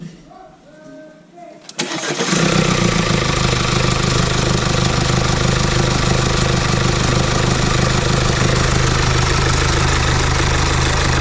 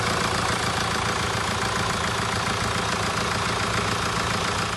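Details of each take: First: 2017 Mercedes E-Class with 654 diesel engine starting and idling loudly with constant metallic rattle from a worn timing chain, loud on cold starts and still audible warm, before timing chain replacement. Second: 2017 Mercedes E-Class with OM654 diesel, idling after timing chain replacement and engine reinstallation (chain had been loud on cold starts and audible warm): steady, smooth even clatter, no rattles or knocks; sounds fine, runs nice.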